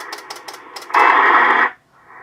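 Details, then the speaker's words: Estate-sale Icom IC-720A HF all-band transceiver, first power-up before restoration: even ticks about every fifth of a second through light static, then a clean tone burst as it receives the WWV time signal; receiver working normally. "so that's a WWV it's a good good sign let's see if we can hear anything on the band's now took a ham Jenna oh"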